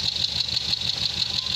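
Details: Nissan Serena idling with no check engine light: uneven, stumbling low pulse from an intermittent cylinder misfire, felt mostly at idle without noticeable power loss; cause (coil, fuel, mechanical) not yet diagnosed.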